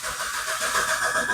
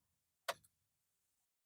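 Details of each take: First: Old Proton Persona with hard starting and erratic RPM: labored start, uneven, strained engine note that struggles to settle before being switched off. Hard starting from faulty crankshaft position sensor. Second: Old Proton Persona, formerly hard to start with erratic RPM: a click, then it catches promptly in one go and settles to a smooth, steady low idle, RPM good, no check-engine light. Normal start and idle.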